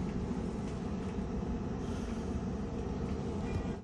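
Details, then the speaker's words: 2011 Euro 4/5 heavy truck after replacing the gearbox electronic control unit (wouldn't change gear) and clearing fault codes: starts very well into a steady, even diesel rumble with no knocks or misses; running normally. "donc voilà là j'ai tout effacé le code défaut j'ai démarré mon camion il démarre super bien"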